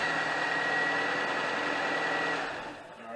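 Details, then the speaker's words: 2001 Honda Accord four-cylinder, power steering belt off, after tightening the alternator belt tensioner: even engine hum with no squeal or chirp before winding down; belt drive quiet, normal idle. "as you can see there it's quiet"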